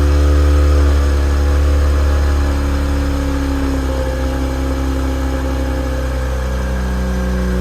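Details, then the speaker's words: Mazda RX-8 rotary, stock with Bola cat-back exhaust five years ago: loud, lumpy idle right after startup with uneven pulsing and rough drone, already showing signs of really bad engine failure; tired apex seals failing. "the startup was already showing signs of really bad engine failure and it sounded awful."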